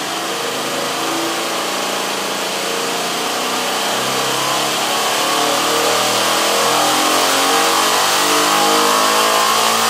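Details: General International 2x42 belt grinder converted to a salvaged 2 hp DC treadmill motor and controller with added cooling fan, after original motor's start winding and capacitor failed; starts at minimum speed after short delay, hum climbs smoothly as speed raised, no grinding; normal speed ramp.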